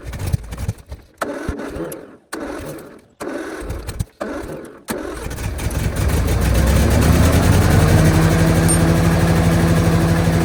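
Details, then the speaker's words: Tractor engine just back from repair: several short cranking bursts before it catches, then a lumpy idle that spits and sputters because the ignition timing is a bit off, to be corrected by turning the distributor. "so as you can hear clearly the timing is off a bit it's spittering it is sping"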